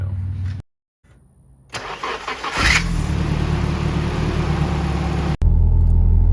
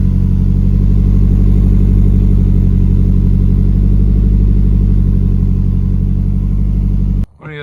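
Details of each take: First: SR20-swapped Nissan S13: sharp screech during cranking that stops as soon as the engine catches into a steady idle; squeal persists even after fitting a new starter, owner suspects starter or possibly flywheel; starter squeal on cranking. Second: 1992 Nissan 240SX S13 with SR20 swap, leaky valve cover gaskets; steady even idle with smooth low rumble, no knocks, misses or hunting. Normal idle, engine sounds good.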